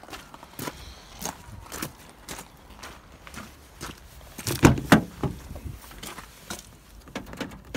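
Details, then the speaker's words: Brand-new Ford Transit Custom van with the software patch, interior buttons pressed after door opened: sharp irregular clicks from relays in the box, unlocking rear and side doors; buttons not disabled as they should be. "You can hear it clicking the relays in the box. That's opening the back and the side, obviously."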